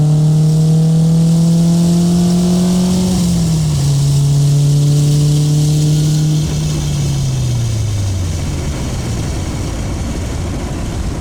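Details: 1995 Honda Civic EJ coupe on test drive after packing cheap eBay muffler with fiberglass insulation to cure rasp near 4,000 rpm: deep smooth drone falling as revs drop, no raspy edge; rasp gone.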